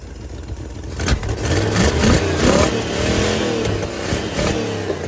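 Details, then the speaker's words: 1971 Chevrolet Monte Carlo, old 350 V8, after new cap, wires and coils: rough rising revs with sharp pops around 4500–5000 rpm, popping back through carburetor; suspected exhaust valve not opening/closing properly, possibly worn camshaft lobe. "as we rev it probably about 4500 or so towards 5,000 it'll pop through the carburetor what that is is you have an exhaust valve that's not opening closing enough"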